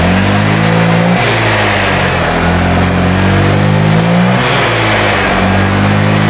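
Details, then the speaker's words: Honda Vario 125 LED scooter, recently decarbonized after smoking: engine revs rise slowly, strained and flat under throttle; heavy, sluggish, unresponsive acceleration. "ini dia untuk tarikannya kayak berat untuk dia akselerasinya kurang dia kurang responsif agak nahan gitu"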